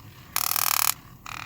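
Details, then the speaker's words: 2012 Ram 3500 HVAC blend door actuator removed from under the dash, doors stuck in defrost: two short bursts of harsh, raspy grinding with near silence between; actuator motor suspected damaged inside and to be replaced. "Let's see if this motor works. So it is making noise and kind of but I think it's damaged inside, so"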